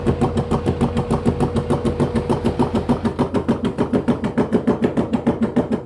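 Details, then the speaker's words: LG F-1220TD washing machine, drum turning: heavy regular thumping about three knocks per second; drum hangs only on its two springs, bearings suspected completely broken up, later replaced with the seal. "тепер висить тільки на цих двох пружинах скоріше там вже подшипники розсипалися повністю"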